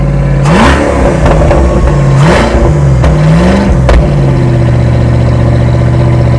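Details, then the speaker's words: Toyota Cressida, first run after two years, with headers and Y-pipe but no silencer, paint burning off the pipes: loud, raw exhaust blips through a few quick revs then settles to a steady, even idle; running fine, just unsilenced. "well that sounds awesome don't worry about the smoke that's just all the paint and the putty coming off"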